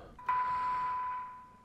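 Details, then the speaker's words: Formac 120 AM/FM CB radio on channel 1 low band, 1 kHz test tone injected at reduced RF input: clean steady tone with little hiss, very sensitive receiver; no further receiver alignment needed. "so actually this is actually really sensitive yeah it's really really really sensitive which is excellent"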